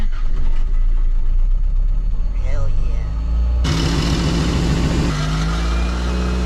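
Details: 1987 Toyota Corolla FX16 GTS with a crank-no-start fault, fuel pump fed directly from the battery: cranking rumble, then the engine catches sharply and settles to a steady, even idle; normal start once fuel reaches the engine.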